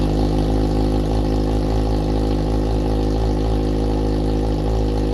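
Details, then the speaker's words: 2014 Yamaha FZ6R with R6 front-end conversion, first start in about a year, in neutral on the rear stand: loud, steady, even idle with a deep, smooth exhaust beat and no misses, knocks or rattles; normal cold idle. "firing it up for the first time in about a year we are neutral it's on the rear stand gonna be loud"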